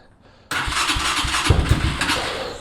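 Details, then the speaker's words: Cheap 250cc non-running motorcycle with power, spark and fuel, choke on: quick cranking with a few uneven pops, never settles into running; suspected someone tampered with the carb, not confirmed. "Sounds like we have spark. We've got fuel. The air filters don't look too messy. Maybe [snorts] it's a carb issue."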